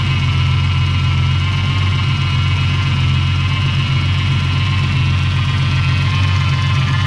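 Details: Ford AU engine's first start after the harmonic balancer went on, before the reseal and new water pump: deep, even idle with a steady low rumble and no knocks, misses or ticks, sounding all right and healthy.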